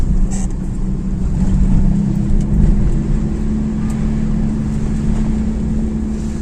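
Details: Raised driven wheel (rear wheel chocked) spun by the running engine in 4th gear, in winter with possible snow and ice hitting the arch liners: a steady, constant-pitch low drone with slight wind noise. The wheel hums; the cause is unconfirmed.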